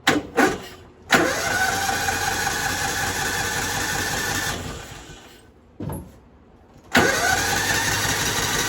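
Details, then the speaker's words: Kawasaki Mule 550 carbureted UTV, sat 2-3 years, gravity-fed fuel: two cranks catch, fast busy idle that won't settle, tries to jump into gear, dies and restarts; idle set too high at carb suspected, unconfirmed. "That means it's idled up too high. It's trying to jump into gear and move instead of just going into gear, then you throttling it up. So that carb might be idled up or something."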